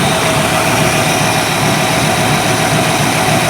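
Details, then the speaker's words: 1949 Mercury Meteor flathead V8 after bent valve and missing keeper repair, cold, oil pressure about 50 psi: even steady idle, no misses, ticks or knocks, constant hiss; runs smoothly on all cylinders. "It seems to be running nice. That's sitting here cold right now. No ticking, no knocking, it's smooth."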